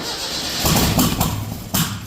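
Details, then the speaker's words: Datsun on MegaSquirt, back on distributor after two coil-on-plug coils died, runs poorly: rough running with sharp irregular pops backfiring through the intake manifold, mostly cylinder 1, sometimes 2, regardless of injector firing order tried. "so what's really strange is that no matter what I do I always get the intake backfire no matter what um it's generally like cylinder 1 sometimes cylinder 2"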